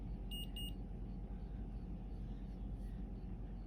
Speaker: it gives me instructions after filling pod listen for two beeps then press next okay so i'm listened for that